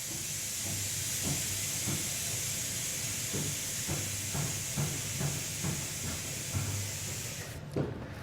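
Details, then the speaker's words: 2022 Ford F-250 Air Lift WirelessAIR system venting the helper air springs back down to the 5 unloaded setting: steady high hiss of air exhausting for several seconds, then a clean cutoff; normal deflation. "And you can hear it exhausting the air out. And we can see the pressure drop in real time there at the"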